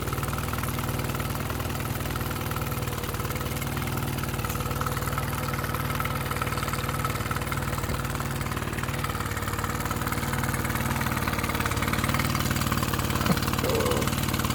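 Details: Mercury 9.9 outboard bought used for £120, which had not run, back after 8-9 weeks of repair with parts from abroad; test run: even, steady constant low hum with no surging or missing; normal smooth idle.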